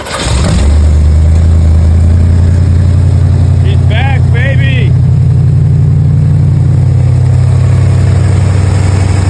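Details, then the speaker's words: 1984 Corvette C4 V8 after rejetting its Holley 1460 carburettor from 66 to 44 jets, warming up with choke on a cold day: catches quickly and settles into a steady, even idle with no misses or knocks; healthy, still cold and needing retuning. "That's more like it. Yeah, that's nice. Sounding pretty healthy. It's got that nice crap to it."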